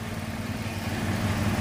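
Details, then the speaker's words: Carbureted Honda Beat scooter that died on the road with new battery draining; broken white charging wire (stator to regulator) reconnected, engine restarted: steady even low putter, no misses, knocks or rattles; normal idle. "sekarang motor akan kita hidupkan lagi guys Oke Ayo Mas kita hidupkan enak ya hidupnya guys"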